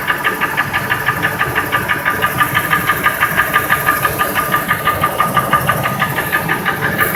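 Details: 2002 Ford F-150 5.4L 2V V8 (no cam phasers): steady sharp knock about three times a second at idle, unchanged by unplugging each injector or coil, drowned out above 1200 rpm; runs fine, source unknown.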